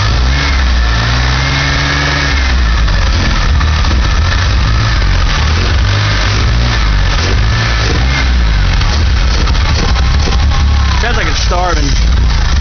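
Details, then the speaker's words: DeLorean engine revved: a deep, uneven rumble with hesitant revs that never climb cleanly, seeming about to die; smoke comes from the valve cover and the owner suspects moisture in it and the pipes; rough running under revving. "pull this thing's about to die at any second seems like I'm not getting as much moisture out of the pipes"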